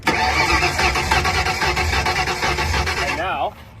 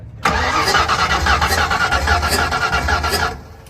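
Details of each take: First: V8 drag car on the starter, phone near the exhaust on the good side: even, steady exhaust puffs about three a second, normal; the other side hisses from a suspected burnt exhaust valve after a melted plug strap. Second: Drag car engine cranked on the starter, phone at the exhaust: uneven puffing hiss from one cylinder, compression escaping past a torched exhaust valve that should be closed.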